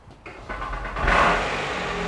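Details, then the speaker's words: Smart car with suspected engine knock, on weak battery: engine catches and revs with a light tinny rattle over the rising note, clearing rather than worsening with revs; source not pinned down. "Hear that then, that rattling knock thing. That's the two skeletons."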